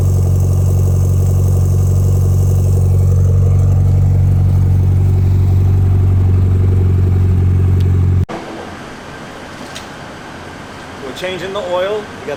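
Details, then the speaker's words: Rebuilt Mitsubishi Lancer Evo 8 idling after the fuel return fix, fuel pressure about 45-47: deep, steady idle holding even for several seconds, no stumbling, ticking or hunting. Sounds healthy. "So this sounds amazing. It sounds really good."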